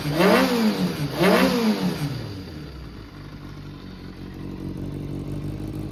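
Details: Kawasaki ZRX400 (ZR400E) start-up check: two quick clean throttle blips settle to a steady idle with no knocks or rattles; engine sounds healthy, no abnormal noise or white smoke.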